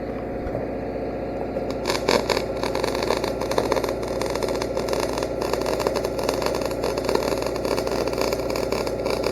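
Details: Engine-drive welder with wire feeder doing short-circuit MIG after voltage adjustments fixed earlier sputtering. Even, steady crackle like frying bacon over a low engine drone, no sputtering or popping; steady MIG arc.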